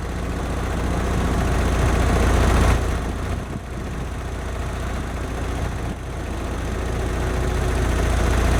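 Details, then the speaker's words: 1991 Honda Prelude Si after fitting new NGK spark plug wires: a low, lumpy idle that surges and dips, shaking as if about to stall. Still misfiring; cause not yet found. "Nope, I think still misfiring. Nope, idle surge. This is how low it idles. A rough idle, shaking very. It feels like it's about to stall is what's happening."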